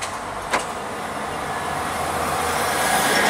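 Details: Renault Logan with Easy'R automated gearbox after a clutch replacement, pulling away in first gear in automatic mode: road and engine noise rise steadily with one light click. The shift goes through smoothly with no clunk or slip.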